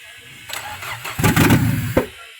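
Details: Peugeot 406 that would crank but not start after an engine replacement, fixed by connecting a wire to the sensor. A brief crank, then the engine catches promptly and settles toward idle: a normal, clean start.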